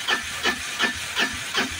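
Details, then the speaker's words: Piaggio BS4 auto-rickshaw cranking with the self-starter: steady whooshing beats about three a second go on and on without catching; long-crank no-start traced to incorrect tappet (valve clearance) setting. "यह काफी ज्यादा लंबा self ले रही उसके बावजूद में भी गाड़ी स्टार्ट नहीं हो रही"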